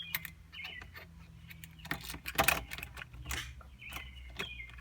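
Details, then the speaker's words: 1999 Mercedes-Benz ML320, intermittent no-start, starter replaced with a used unit, key turned by a helper with the microphone near the starter: single sharp click, then no cranking; starter motor failing. "I'm just going to have him turn the key so you can hear the click and that's what you'll hear when your starter is not working"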